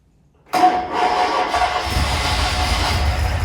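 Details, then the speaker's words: Tiger Cat E1 on its first start in ten years, after carb cleaning and opening the idle mixture screws: catches at once and holds a steady, slightly lumpy idle; carbs later balanced and mixture screws adjusted, changing rpm. "You can hear the effect of adjusting the mixture screws has on the RPM."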